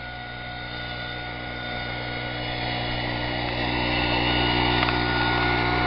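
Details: 25cc four-stroke leaf blower engine on synthetic fuel (about 80% natural gasoline), upper 70s–low 80s °F: steady even note at mid throttle, slowly building, no misses or surging; runs smoothly.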